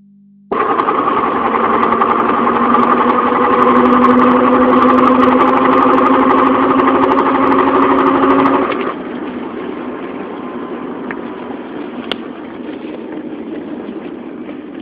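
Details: 1997 Subaru Legacy: loud rhythmic cyclical whirring drone from the front passenger side, about four pulses a second, only under acceleration, straight or turning, fading when coasting; owner suspects front differential, possibly wheel bearing or CV joint, unconfirmed.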